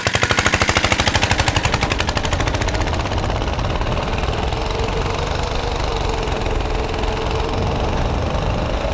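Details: Tecumseh 6.5 hp go-kart engine after a freed-up air filter and repairs, timed run: fast popping that winds up hard and holds a steady high-rev drone at full throttle; runs clean and strong, normal full-throttle running.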